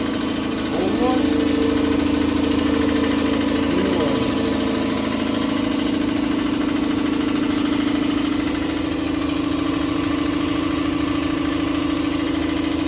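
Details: Campbell Hausfeld air compressor after repair with a new pressure switch, check valve, gauges and regulator: steady, even motor hum and smooth pump drone with no knocking or stalling; normal compressor run.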